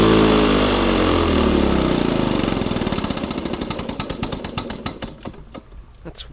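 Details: Old Lawn-Boy two-stroke mower on mixed gas with the air filter missing: uneven popping that slows to about four firings a second and falters before stopping; ragged rough running, cause not confirmed.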